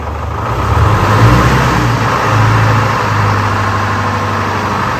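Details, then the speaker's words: Rare Wagner W4 loader with a Detroit Diesel 4-53 two-stroke engine, restarted after it had sucked up oil: low diesel drone swells as the throttle opens, then settles into a steady, even run; the engine fires and keeps running cleanly. "That's nice. Nice to have it running."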